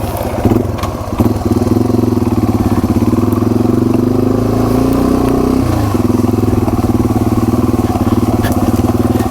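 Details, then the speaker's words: Yamaha TW200 dual sport ridden in Ottawa National Forest after a thin rubber mat (about 1/4 inch) was fitted under the skid plate: an even single-cylinder thump rising with throttle, close to stock noise with the reflected engine noise reduced. "That was enough to get this sounding near, I would say near stock level noise. I mean, it's a little louder than what the stock would be because that doesn't reflect anything back up."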